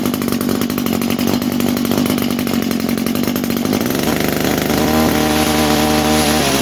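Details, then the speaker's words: 22-year-old Echo string trimmer, two-stroke, sat for years, run at full choke and full throttle: buzzy revs waver and shift pitch instead of holding clean; good compression and healthy engine, but carburetor faulty, needs replacing. "But this carburetor is not happy. So, will it run? Absolutely. The engine sounds healthy. It's got a great compression. We just need basically to replace that carburetor."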